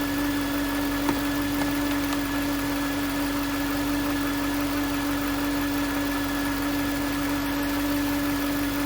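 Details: 2009 Range Rover Supercharged 4.2: clear steady constant-pitch whine over quiet engine hum; listening on the alternator housing confirmed the alternator as source, no engine codes; alternator replaced.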